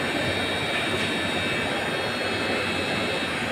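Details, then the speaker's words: Polytron display showcase chiller that is not cooling gives a loud, steady rushing buzz with high whining tones, apparently from the front; the condenser fan motor is seized. "Ini ada suara berisik sekali. Sepertinya suaranya di depan."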